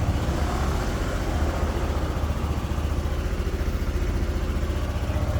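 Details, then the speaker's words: Motorcycle with morning hard-start after battery replacement (new battery 12.69 V, old dropped to 9.8 V cranking): one-click start, steady even low thump at idle, about four pulses per second, no misses; now charging normally. "Yun siya mga prean yung goods na boltahe ng motor. Ayan tapos magcha-charge pa yan."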